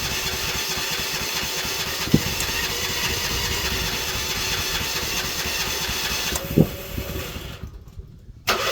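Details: Manlift engine with an electric choke on a cold 41°F morning, after it had failed to start and left the operator stranded. Keeps cranking and coughing for several seconds without catching cleanly; hard starting.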